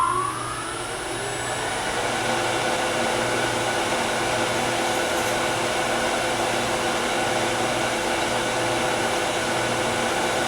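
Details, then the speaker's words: Wood lathe turning a miniature with a shallow fluted gouge: harsh buzzing chatter because the overhanging piece vibrates; remedy is light cuts, high speed and a sharp tool. "you can hear a lot of chatter that's because this piece is hanging over it's vibrating so light cuts high speed sharp"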